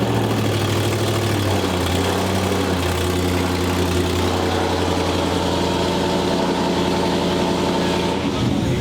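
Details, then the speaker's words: Wrecked 2011 Ford Raptor SVT, first start after rebuild with cab on frame, fuel pump not heard priming: deep, loud, steady V8 rumble with even firing and no knock; much louder than expected. "Wow, that is loud. That is crazy. Holy moly."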